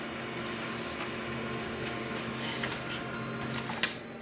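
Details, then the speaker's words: Scanner running: thin high squeak plus a lower-pitched plasticky rubbing sound under the motor drone, more than one squeak; something dragging, cause unclear. "Oh, there's more than one squeak on the scanner alone. Did you hear that? Ooh, ooh, ooh, sound like that sort of pitch, that lower pitch. It sounds like plasticky sort of rubbing sound, like a plastic sound. Not good."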